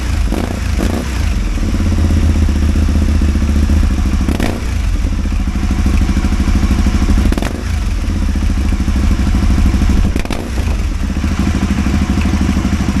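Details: Aprilia Caponord 1000 V-twin idling unevenly, with a heavy stumble or pop every few seconds breaking the beat; engine misfire.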